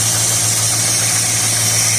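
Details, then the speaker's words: 1969 Dodge Dart after freeing the stuck carburetor needle and seat, fuel pump reconnected, choke unhooked on a warm day: steady, even low idle with a constant hiss, no misses or knocks; repaired and running smooth. "Yeah, she's running. I don't have the choke hooked up. It's pretty warm out, so I don't think I'll need it."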